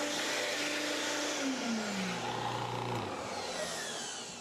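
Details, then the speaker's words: Rotovac Ranger carpet cleaning machine: loud pump whir whose pitch slides steadily lower over a couple of seconds as trapped air clears; priming the pump to purge an air bubble from the line. "That's how you get an air bubble out. That's called priming the pump."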